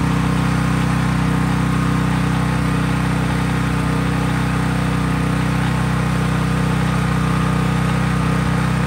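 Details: Craftsman 5000-watt generator running with no load, only an LED bulb plugged in: loud, constant drone at steady speed, even firing with no misses, knocks or hunting; healthy no-load running.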